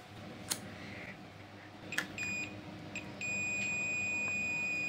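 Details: Sharp 4T-C42DK1I smart TV that shows only the red indicator and won't turn on. After the USB regulator ICs were removed, the meter gives a steady, unbroken beep across a power-rail capacitor, so that rail is still shorted.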